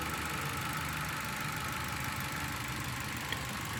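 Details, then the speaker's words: Warm petrol engine idling with an uneven, stumbling beat; a pressure test shows an exhaust valve sealing poorly, so the cylinder head must be removed and the valve seats reground. "entonces aquí tenemos una válvula de escape que está sellando mal por eso es que deja escapar con presión y por eso tenemos una señal alta en este"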